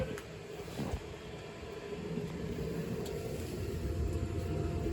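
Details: Lochinvar Knight modulating condensing gas boiler (2007–2008 install, unserviced for years) overshoots toward 200°F with deep, uneven rumble, crackles and knocks: kettling with no water flow. The primary circulator is only warm and not moving; a failed boiler pump relay was found.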